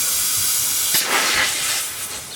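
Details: Engine off, intake pressurized with a cheap boost leak tester: sharp, steady air hiss that swells briefly then tails off; leak at the manifold under the fuel rail. Compressor read 15-20 psi but only 8 reached the boost gauge.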